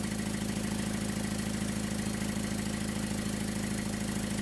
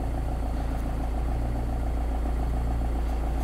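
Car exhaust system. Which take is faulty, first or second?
first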